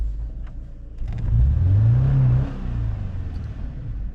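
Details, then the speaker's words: 2013 Subaru Impreza after engine swap following timing failure, first runs, lots of smoke: low uneven rumble, short rev swell then settling; lumpy, seems to be clearing up, owner suspects fluids working through after long sitting. "it sounds like it's clearing up and that's off the ding box I mean look how much Smoke's in there though"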